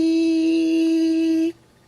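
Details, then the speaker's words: Basement sink drain strainer, odd small size, vibrating up and down at high frequency as water drains: clean steady buzzy mid-pitched hum that stops instantly when touched; holes slightly too small suspected. "sometimes it makes that sound and if you reach in there and just touch it it'll stop it actually is vibrating up and down at a very high frequency"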